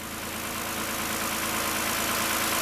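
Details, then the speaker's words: Toyota all-wheel-drive first fire-up after reassembly, coolant low; even steady idle with smooth hum, no timing chain rattle or knocking, no alternator light, charging 14.3 V: normal idle. "hey look at that no alternator light that's good that stupid all-wheel drive light is on and no timing rattle"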